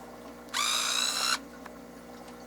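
A steady, high-pitched whir lasting under a second, clean start and stop at even speed; zoom motor running briskly and healthy.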